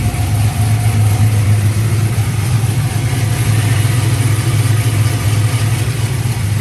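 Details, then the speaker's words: GMC truck, after fixing what the owner thought was lifter tick: the cylinder 2 direct injector seals had melted or blown out and were leaking compression. Injector and seals replaced. Now a deep, even rumble with smooth revs and no ticking. "Let's get this wiring wrapped back up and then we'll get it all plugged together. Just like that. Got no more tappity tap."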